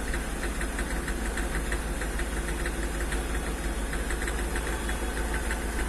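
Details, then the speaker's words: Hyundai Xcent/Grand i10 diesel: after blipping the accelerator, revs rise to about 2000 rpm and the engine knocks sharply, misfires and blows heavy white smoke; scan shows no engine fault, injectors and pump already checked; diagnosis traced it to a faulty engine control module. "इसका engine knocking कर रहा है क कड़ क और white smoke मार रहा है"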